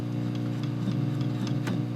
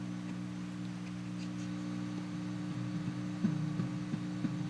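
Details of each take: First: Valco Chicago 51 6V6 tube amp with new Jensen speaker: loud steady preamp hum with scratchy crackles as loose unshielded wires are moved, later replaced by shielded cable; a corroded 6SL7 socket was the final cause. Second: Valco Chicago 51 6V6 tube practice amp after replacing a corroded 6SL7 preamp socket, original tube reinstalled: low steady hum with a few soft, dull thumps when tapped, mild normal microphonics.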